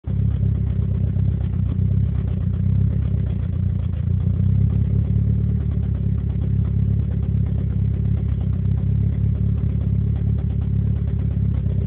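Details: Nissan S14 idling low and rumbling with a faint uneven clatter and loping beat instead of a clean steady pulse, indicating a misfire.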